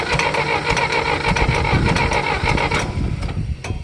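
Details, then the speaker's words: John Deere cold start after starting fluid with the fuel turned on: steady, uneven chugging under the starter that never picks up into a clean run, then drops away; the engine is flooded, and the carburetor may need removing. "Okay, I'm going to turn the gas on. You can't turn it on because of the flooding."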